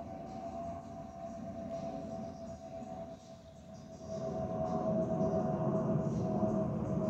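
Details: Spirit Airlines Airbus A319-132, steady mid-pitched whistle over cabin rumble from the fuel overpressure protector (FOPP) ports on the wing, a normal airflow tone.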